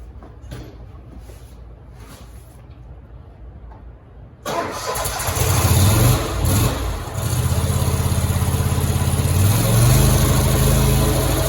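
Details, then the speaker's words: Grasshopper 227 zero-turn mower runs steady under blade load after repairing a wiring harness break to the electric PTO clutch; even healthy drone, no slipping or clatter; normal running with blades engaged. "The blades, you should physically hear the clutch popping on. I believe we are fixed."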